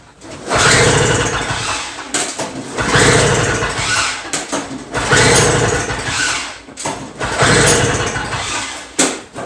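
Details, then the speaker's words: Two-stroke Toro snow blower, fuel tank partly filled, key on, primed and choked; repeated pull-start cranks every two seconds, brief rasping spin with no firing; will not start at all. "so all right so that guarantees a bunch of crap because it doesn't start at all"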